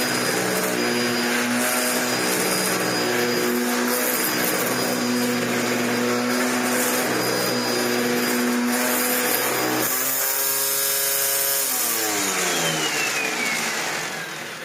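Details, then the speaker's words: Dyson DC01 upright vacuum during repair: loud steady buzzing whirr over the motor drone, pitch shifting when the head is tilted down; noise from the brush roll, planned fix is swapping the barrel onto new bearings and end caps. "But it makes that noise. Why does it make that noise? Oh, that's a shame, because that really is grooming the carpet well."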